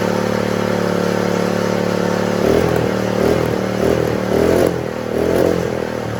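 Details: Honda GX120 small single-cylinder engine after moving throttle spring clip to fix throttle: runs evenly, then picks up and settles through a few throttle blips; runs fine.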